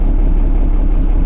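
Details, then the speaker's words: Six-cylinder bus diesel after removing part of the fuel system and priming, injector test on cylinder one caused no engine change: deep lumpy uneven idle, possibly running on five cylinders; rough idle, cylinder one suspected blocked or drawing air. "it's not firing as well as all the others so we could only be on five cylinders at the moment which might explain a lot"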